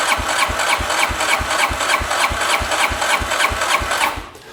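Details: 2009 Arctic Cat DVX 300 ATV, long stored, compression about 160–165 psi: even starter cranking about three strokes a second, then cuts off; turns over but doesn't fire, carburetor and spark to be checked.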